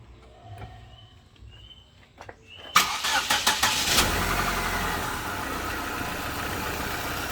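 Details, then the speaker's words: Used automatic car, cleaned engine bay, started and idling: quick catch into steady even idle, smooth engine, no smoke from the rear, automatic transmission normal on test drive. Normal start and idle. "Hai besoknya masih halus ya di belakang juga aman tidak ngasap temen-temen Hai mesinnya halus"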